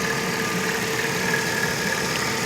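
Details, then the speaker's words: 2005 Mercedes ML350 from an auction lot, weak battery (needed a jump earlier), just started after a second crank: a steady, even idle with no knocks, misses or ticking; it seems to run pretty good. "Starts. Yeah, sounds like it runs pretty good."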